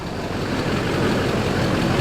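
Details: Duramax diesel, engine still warm, passenger side: steady even diesel idle clatter with no sharp tick standing out, sounds healthy; normal idle, unlike the prominent tick on the other side.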